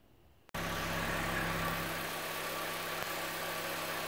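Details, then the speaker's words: 2008 Hyundai Accent at idle after repairing a split intake manifold gasket that caused a lean cylinder 2 misfire (P0302, fuel cut to cylinder): steady, even hum, runs smooth with no misfires or stumbles. "a success runs nice and smooth no misfires that'll be a happy customer"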